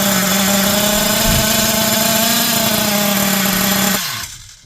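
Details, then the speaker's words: Hobao Hyper 7 TQ nitro RC engine, first start after 12 years stored in a loft: high, even buzzing run at steady speed with no stumbles, then cuts off cleanly; started easily, sounds healthy. "Well, that didn't take too much to get it going, did it, eh? Wow. Sounds pretty healthy as well."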